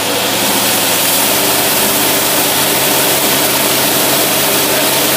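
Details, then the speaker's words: Engine on dynamometer at maximum load testing an Edelbrock Thunder 1813 carburetor: loud dense steady roar, no knocks, misses or rattles; reading went off the scale, over 600 ft-lb torque, engine doesn't strain. "That thing went right off the end of the scale there. That doesn't even strain."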